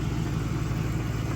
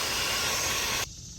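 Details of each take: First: 1998 Mercury Grand Marquis V8 after exhaust leak repair with JB Weld: smooth, steady low idle with even pulse and no exhaust ticking or hiss; quiet, leak fixed. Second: 1998 Mercury Grand Marquis exhaust leak found during a pressure test: a loud, steady, airy hiss that cuts off abruptly, air escaping from a leaking exhaust manifold joint, before repair.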